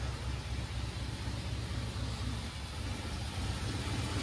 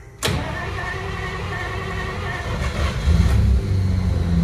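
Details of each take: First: 1953 Pontiac Chieftain in below-freezing temps, finally running after 20-odd start attempts (no choke): old engine ticks over cold with a low, steady exhaust thump and no misses or knocks. Normal cold idle once lit. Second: 1953 Pontiac Chieftain, cold start in freezing temperatures after sitting about a month: it cranks, catches, runs rough for a few seconds, then dies, and cranking resumes. The owner suspects the freezing cold isn't helping.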